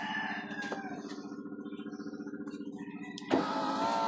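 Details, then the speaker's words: Driver-side power window motor hums with a rapid fluttering pulse as it labours to lift the glass, then surges; the window sticks on the way up and needs pushing up by hand, even after greasing the rail. "Kung nag-stock up siya guys, kailangan mo siyang itulak pataas para umandar."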